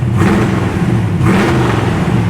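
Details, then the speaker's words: LS3 V8 in resto-mod Camaro with Holley Terminator X, two throttle blips to 3000 RPM: rises cleanly and drops back to a smooth idle, no knock or miss. Healthy rev. "that was 3000 RPM so yeah this is a that's a spicy meatball right there guys"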